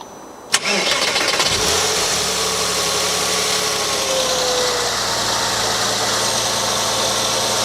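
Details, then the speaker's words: Porsche Boxster S (986) cold start after timing chain tensioner replacement, engine hatch off: brief crank, catches quickly into a smooth fast idle, quiet, without the previous start-up rattle. "seem to fire into l no issues whatsoever seems to it seem to sound very quiet as well"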